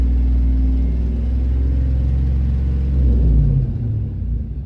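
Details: 2006 Chevy Silverado engine ticking and rattling under acceleration, quiet at idle, down on power, no codes. A rough, uneven rattle rides the rumble while revving. First traced near the passenger valve cover, now thought to come from underneath; cause not yet found.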